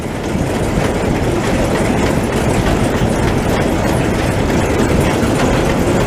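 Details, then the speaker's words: Machine (525) running after walker repair, with the newly installed chain running for the first time: steady, even rumble with light clatter and no catching, slapping or knocks; much quieter, chain and drives running smoothly. "This is the first stuff running with that chain in there too. That's a crap ton quieter. Not catching anything, that's good."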